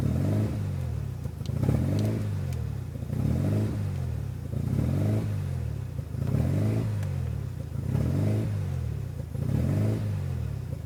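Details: 1993 RHD Mazda RX7 rotary with newly installed Power FC ECU (wires not cut): low burble with an uneven, lumpy pulse about every second and a half; rough, hunting idle, cause not pinned down.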